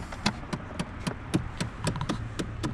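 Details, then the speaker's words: 2008 Chevrolet Impala with key on: sharp regular ticking about four times a second from behind the dash, a failing HVAC blend door actuator to be replaced via glove box removal. "back up in here um i've changed these out before what they are is a blend door actuator"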